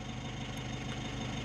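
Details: Mitsubishi L300 Euro 4 diesel just after starting, warning lights going out: steady, even diesel clatter at idle with no misses or odd knocks, a healthy idle.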